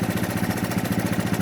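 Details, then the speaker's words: 1983 Honda ATC 200 single-cylinder, idling high, after a tiny carburetor adjustment, mic right next to engine: even steady putter, no misses or hunting; idle sounds much better. "You don't got to turn this very much, just tiny, tiny bit. That sounds much better to me."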